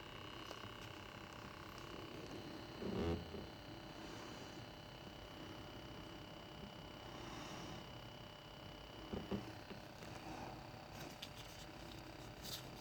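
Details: BMW 635CSi E24 with rough idle on cold and warm start, HVAC off: faint steady hum at idle from idle control valve, with handling knocks; throttle body moves freely but dirty; cause suspected, not confirmed; humming at idle.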